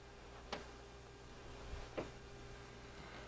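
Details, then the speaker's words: Closet door hinge after working WD-40 in by rocking the door: only a couple of soft clicks, no squeak left, hinge now swings quietly. "I think we did it no more squeak we did real good no more squeaking so we did good we have no more squeak"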